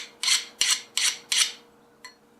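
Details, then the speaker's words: Hand file on a quenched 5160 steel knife blade, forge scale removed: four bright glassy strokes about 0.4 s apart skating without biting, showing a good quench. "see when you first do it it sounds like it's biting in because of the Forge scale from heating it up to critical but once you get rid of that Forge scale it's just skating"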